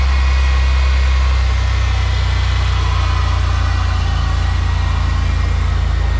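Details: GM 3800 V6 (Buick/Pontiac/Chevy/Oldsmobile) just after alternator replacement fixed a battery warning light, now charging about 14 volts: steady, even low idle hum with no knocks, ticks or belt squeal; normal idle.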